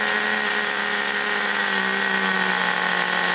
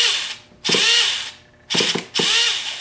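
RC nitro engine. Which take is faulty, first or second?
second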